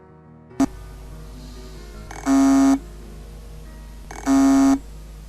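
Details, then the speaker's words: Hard disk drive with stuck head: very faint half-second buzzing beep about every two seconds with no spin-up, audible only a few seconds before power stops inside the drive; fix is manually moving the stuck head to its parking zone. "este sonido producido en el momento de atascar la cabeza es muy bajo y hay que que escucharlo con mucha atención"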